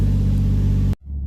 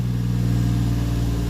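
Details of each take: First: Toyota Mark II JZX110 after battery reset, warm, out of garage: even steady low rumble without stumbles at about 700 rpm; earlier puffed black smoke and coughed with high idle. Normal idle. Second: Toyota JZX110 still a little cold after connectors were reseated and the battery reset to cure rough idle: a steady, smooth low drone just under 1000 rpm, against a target of about 700, with no hunting; high idle.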